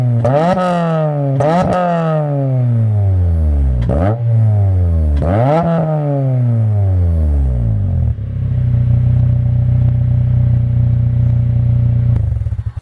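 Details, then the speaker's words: Acura RSX Type S with new Spec D stainless 2.5-inch catback exhaust: revs to 5000 rpm max, no VTEC, then steady deep idle, smooth with no leaks or rattles; normal exhaust note. "So that was like low RPMs, and then the highest I went there was 5K. I did not hit VTEC."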